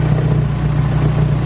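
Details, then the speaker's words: Lifter (botador) ticking on cylinder 1 of a petrol Corsa at idle during its first long run since being refuelled from a tank instead of a fuel can; fast light tick over hum, expected to clear with use, nothing serious. "hay un quedó un botador sonando pero creo que se va a solucionar una vaca pero nada grave"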